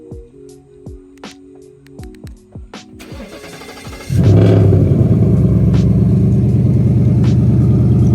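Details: Ford Mustang 5.0 GT after a shop welded in new exhaust piping to fix a leak: the engine cranks briefly, catches and settles into a steady, even fast idle with no ticking or puffing; the check engine light is still on.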